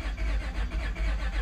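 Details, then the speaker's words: 2004 Honda Pilot 3.5L with new aftermarket fuel pump, dead battery, jump-started: starter cranks with uneven, lumpy rhythm, some strokes heavier, never catches; compression issue suspected, crank no start. "Let's just try starting this, see what it sounds like. Oh, we got a compression issue."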